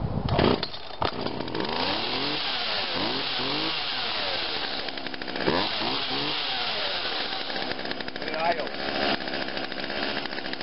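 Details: Small two-stroke chainsaw started dead cold on choke after ignition coil cleaning and testing: the buzz catches and holds, rising and falling cleanly through several throttle blips; it starts and runs healthy.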